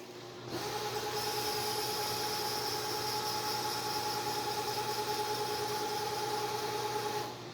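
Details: LeeJay 3-axis CNC mill with an Anilam 3300MK control and AC variable-speed head, running a light circle-mill cut in mild steel at about 900 rpm: smooth, steady whine from the axis drives with no grinding or hunting; servos sound healthy.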